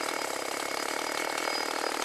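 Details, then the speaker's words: Chainsaw running on old stored boat and chainsaw gas blended with new non-alcohol fuel: a light, fast buzzing idle holds a steady pace without surging or dying out. Normal idle. "it's is running right fine sounds good y we got it"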